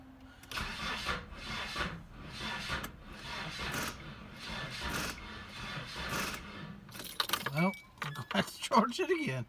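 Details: 1995 Nissan Hardbody KA24E, first start-up after freeing a frozen engine and replacing head gasket and timing chain; rhythmic starter churning in bursts after battery charging, uneven catches never take hold, engine tries to fire; cranks but won't start.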